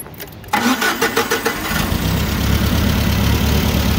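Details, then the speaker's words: Nissan forklift with K21 engine, started and idling: it runs rough with an uneven, lumpy, stumbling beat. A power balance test was inconclusive, and the misfire is likely the cause of the failed catalytic converter. "you can hear it it runs rough"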